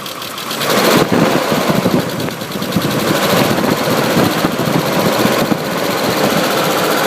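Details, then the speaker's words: 1995 Isuzu Rodeo 3.2L V6 going from idle to revving under light throttle; a fast, uneven tapping rides on top of the engine sound; engine knocking noise, source unknown. "There's a sound coming from the engine. I guess a knocking noise."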